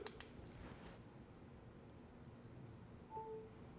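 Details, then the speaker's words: Moza Mini-Mi smartphone gimbal: a quiet room, then a short two-tone electronic ding about three seconds in, signalling that wireless phone charging has started. "you hear that that ding there's a little symbol up there with the battery indicator the right one is the battery of the Mosin mini-me and the left one is my phone battery this is capable of wireless charging your phone as long as your phone has that feature"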